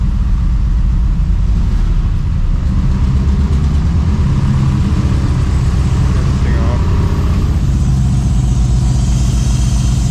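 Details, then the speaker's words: 2016 Chevrolet Silverado rebuild, first proper start on boosted dead battery with exhaust removed: loud raw steady V8 burble, even firing without stumbling; engine running normally though an intake sensor tab is broken off. "I do have the exhaust off too, so it's really loud, but it's actually running because it's only running for like a few seconds before."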